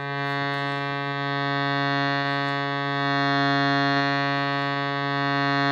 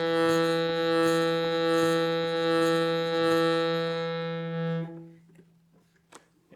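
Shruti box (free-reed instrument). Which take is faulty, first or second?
second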